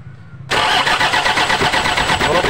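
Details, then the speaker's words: Toyota Innova 2KD diesel cranks steadily but won't start; rail pressure stays around 350 kPa versus roughly 30,000 kPa target, supply pump output very weak. "nah seperti itu ya teman-teman prurnya tidak bergerak sama sekali sedangkan targetnya itu yang ini ya.000 KPA hanya 350 tidak mau naik"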